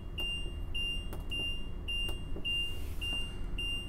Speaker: as you can hear the beeping sound that is a warning buzzer letting you know your jacks are down so you don't accidentally drive away with your jacks